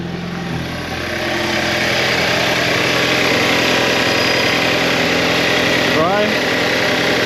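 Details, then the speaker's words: Audi A4 B7 2.0 TFSI just after cam follower replacement; starts slightly slow because the fuel system was drained, then a steady, even idle with a smooth hum, no ticking or misses. No leaks found, normal idle. "it is normal for the car to start a bit slower because you just drain the fuel system but after that if you start fine oh look at that everything okay"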